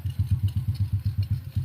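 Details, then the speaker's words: Restored Honda Wave 125i after engine overhaul with new clutch, lining, primary clutch and housing: low, smooth, even idle putting around eight pulses a second with no ticking or clatter; healthy. "Ito yung tunog ng makina, ganda na rin kasi in-overhaul nga natin yan."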